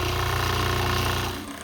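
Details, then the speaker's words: Old upright Campbell Hausfeld airless paint sprayer unused for 7 years, priming with water in prime mode while the brass prime valve button is held: fast, even pumping buzz that drops and thins after a second; pump running unprimed, sound changes as valve is released. "And I can hold this in for a while, this little brass button, and sometimes I have to play with this. I have to release it. You can hear the sound change."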